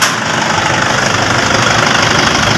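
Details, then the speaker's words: 2012 Toyota Innova after alternator clutch pulley replacement, engine started and lightly revved: even hum with light steady whir, metallic scraping gone; charging 14 volts; normal alternator operation. "Guys, okay na, wala nang ingay. Wala na yung parang nagkakaskas ang bakal."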